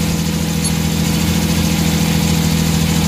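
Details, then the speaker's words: Suzuki mini van DA64/DA63 K6A engine idling with AC on: low uneven idle that sags and shudders, close to stalling; throttle position sensor showing no steady voltage, idle-up/throttle fault suspected. "So walang ano walang RPM na maganda so ito problema"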